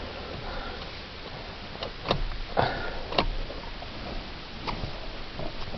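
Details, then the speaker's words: Ram pickup with engine off and battery too dead to start: sharp, irregular little clicks in a quiet cab from a jammed powered seat belt retractor that stays on and drains the battery; stops when key is off, cause suspected. "Guys, so I said that my seatbelt was ticking, like you could hear the li"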